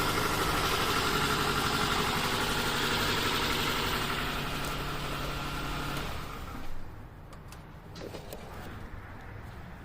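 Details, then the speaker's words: 2009 Toyota RAV4 2.5 at idle during lab scope testing: slightly lumpy, uneven beat about six seconds before shutoff; misfire from a leaking intake valve, confirmed by sloping relative compression waveform. "so yeah we have a leaking intake valve that's why it slopes that way"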